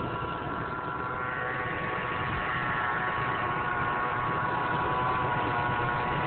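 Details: 1999 Mercury Mountaineer V8 idling with a constant whine from the front of the engine that never goes away; unchanged after serpentine belt replacement.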